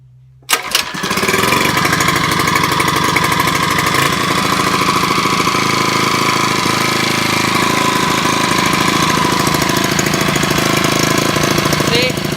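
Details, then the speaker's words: Small engine from an oil-comparison test, run until seized, then unseized by tapping the piston with a hammer and refilled with its old oil; after a pull and choke it runs rough with an uneven lumpy patter, cause not pinned down. "It's running! It runs kind of rough, but we'll see."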